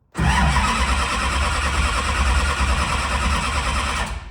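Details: Duramax diesel drag truck cranking with injectors unplugged on the lead-acid battery, about 140 rpm cranking speed: steady, even starter churn for a few seconds with no catch or stumble, a normal no-fuel crank.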